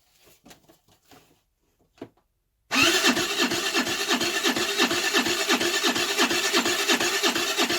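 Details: 2008 Baotian Tanco 50cc four-stroke scooter, half gutted, with fresh fuel: starter spins at a steady beat near three per second without firing; plug keeps getting wet, flooding, owner suspects a fouled carb.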